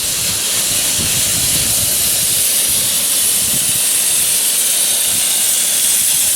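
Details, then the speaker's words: Sprinkler blowout with an air compressor, zone 6 in the backyard, first blast: steady loud hiss of air with uneven sputters as water still comes out mixed in. Mostly air, but the zone is not yet clear. "Still a lot of water, but mostly air."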